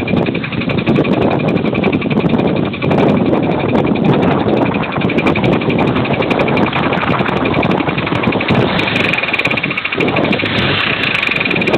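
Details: 2003 Pontiac Grand Am GT, under 170,000 miles, idling with a fast, regular tapping knock from the engine internals. Owner heard it might be lifters or a rod bearing; this engine blew within 6 months.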